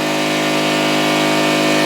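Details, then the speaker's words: Salvaged air compressor rebuilt from three units, pump newly mounted on motor mounts: steady even electric hum and pump buzz, no knocks or rattles, airing up at about 90 psi; normal compressor running. "uh plummet and turned it on well it's airing up it's uh about 90 right"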